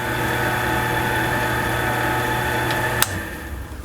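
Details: Delta midi lathe after drive belt replacement (belt fitted, shaft reinstalled): steady, even motor hum with clean whine, no knocks or slapping, then smooth spin-down; runs like new, healthy.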